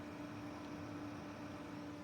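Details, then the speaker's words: Brinkley RV bedroom under-bed cabinet fans, rigidly screwed to the wood: steady whooshing drone and mid-pitched hum from small high-speed "screamer" fans rated 62 dB, with vibration and harmonics carried through the wood. "are known in the PC world as screamers. I took um the part number and I grokked it in Grok AI and these things are known to move a fair amount of air, but they're known to make a hell of a lot of noise."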